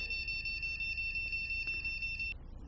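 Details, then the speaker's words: Continuous high-pitched beep at power-on of a DDR2 desktop motherboard (1.8 V RAM supply) then cutting off, indicating RAM badly seated in the slot, faulty RAM or a slot problem; no display followed. "তাহলে RAM স্লটের সঙ্গে RAM যদি সঠিকভাবে কাজ না করে, সঠিকভাবে যদি কানেক্ট না হয় র্যাম স্লটের সঙ্গে, অথবা র্যাম যদি খারাপ থাকে বা স্লটের কোনো প্রবলেমের কারণে র্যাম যদি কানেক্ট হতে না পারে, তখন এই ধরনের বিপ সাউন্ড হতে"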